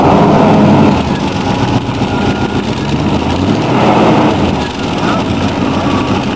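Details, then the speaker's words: 1947 Ford custom hot rod V8 with headers just refitted on new gaskets: loose, uneven puffing at idle from four worn-out gaskets on the glass-pack mufflers, which still leak. "I can still hear where they're leaking around the glass packs"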